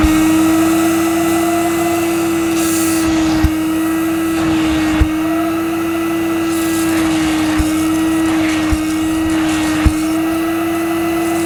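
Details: Mid-1990s (c.1994) Hoover Aquajet S4488 wet vacuum picking up spilled solution from carpet: steady high even motor whine with light clicks as the head moves; suction strong and normal, owner suspects kinked or blocked solution tube.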